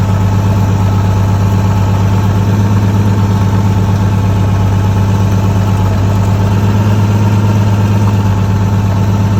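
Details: Nissan S14 with 1JZ turbo engine, boost leak hunt after power loss, wastegate refitted, up pipe disconnected: steady even idle, low smooth drone, no hiss or puffing; no wastegate leak, normal idle.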